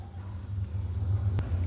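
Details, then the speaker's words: 2005 Ford Fiesta after replacing stripped rear transmission mount bolt with new bolt and reinforced nut: steady low engine rumble, no repeated clunking; mount now holds firm, noise fixed. "Agora simxe a borracha, mas o calço não mexe. Resolvido o barulho."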